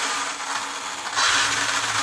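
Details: Arrma Limitless RC car after receiver swap and rebinding to factory Spektrum controller, AVC off: even high-pitched whir stepping up with throttle, no grinding or cogging; brakes, reverse and steering all working.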